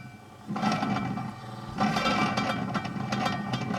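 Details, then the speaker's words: 1951 Stromberg Carlson Velvet Action record changer, run without the spindle: the motor labours rough with an uneven scraping drag. The idler seems far too tight, possibly from bad grease, and needs replacing. "it's trying. Wow, that really is bad. [laughter] That sounds Oh, it's just scraping on the idler, I think. Yeah, that does seem that's way too tight."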